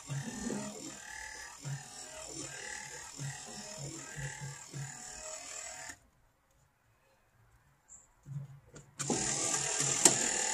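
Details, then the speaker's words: 1955 Chevy Nomad factory electric windshield wiper motor, newly installed in place of the vacuum unit, blades off: even rhythmic whirring pulses about four a second, then a stop. Normal, unlaboured wiper motor operation. "foreign motor works good don't it you can hear it working"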